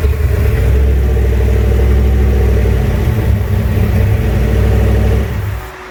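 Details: Junkyard 351W turbo V8 in a 1967 Mustang, first fire-up, exhaust exiting off the fender; loud low rumble with lumpy uneven beat about three pulses a second before dropping away, rough idle, needs a tune.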